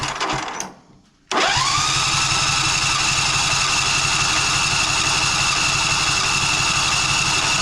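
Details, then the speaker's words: John Deere Z335E zero-turn mower, fuel solenoid clicks, gas present, dirty fuel/air filter, possibly unstarted this year: starter whirs and engine turns over evenly at four beats a second but never fires; cranks but won't start. "By good starting, I mean good turning over. Thing obviously isn't starting."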